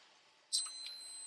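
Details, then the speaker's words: Multimeter continuity test on an electric water heater's top heating element, power wires disconnected: single high steady beep confirming continuity; element intact, about 13 ohms. "You can hear the the beep sound means we have continuity. So, for the top one, that one has continuity all the way through."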